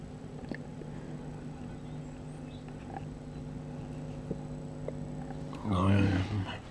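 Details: 2C34 20 W class AB2 push-pull valve amplifier, speaker output after extensive hum-reduction work failed. Steady low buzz with a stack of even tones, so drastic surgery is needed.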